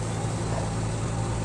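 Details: Spin dryer whose basket would not spin because it was stiff to turn, after the fix of oiling the basket; steady low hum, no scraping or knocking, just an even whirr as the basket spins freely, now okay.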